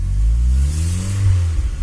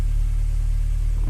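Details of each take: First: Honda Prelude H22 turbo after fitting 1000cc injectors and Hondata with a wideband, idle fuel being logged. Steady, smooth idle with no misses, air-fuel ratio about 14.4–14.5. Normal idle. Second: Honda Prelude H22 turbo, first start on new 1000cc injectors with a Hondata base map: steady low rumble at a fast, even idle with no hunting. It vibrates a bit and runs rich (about 12.6 AFR); idle rpm is set too high.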